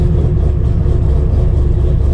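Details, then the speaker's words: 7.0L 427ci LSx V8-swapped RX-7, first start after sitting five months, third attempt after stalling, no throttle: deep lumpy big-cam V8 idle rocking back and forth in a steady lope, no knocks or ticks; normal lopey cam idle. "remember we're doing this not touching the throttle at all gotta love that cam giving that rocky rocky back and forth"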